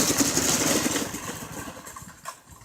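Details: Seven-horsepower single-cylinder engine on a home-built golf cart, first test ride, bad carburetor blamed: pulls away with an uneven, ragged note that fades quickly; rough running.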